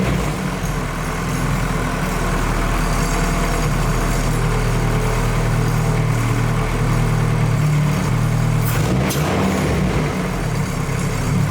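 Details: Nissan Cefiro with fully built Honda K24A2 swap, after idle settings were zeroed and a simple idle problem was found and fixed: steady even low drone, no hunting or surging; idle settled and healthy.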